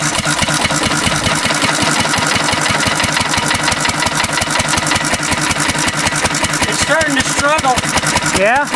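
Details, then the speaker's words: 1950s Cushman Cub single-cylinder four-stroke throttle-governed stationary engine as 91% rubbing alcohol replaces the gasoline, with spark advanced and mixture richened. Quick thumping turns strained and uneven; it runs richer than on gas and struggles for power. "yeah not happy with this decision Mo your it's almost pure rubbing alcohol you see the yellow's almost all gone that's an interesting sound the it's running a little bit richer than gas ever so like this like an eigh of a turn more"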